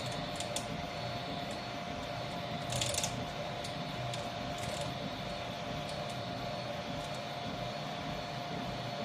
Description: I have been testing my new Troodon 300x300 for two days now and am confronted with unsettling sounds that appear to come from the right side of the gantry. It mainly manifests itself when the right motor is turning and increases with printing speed.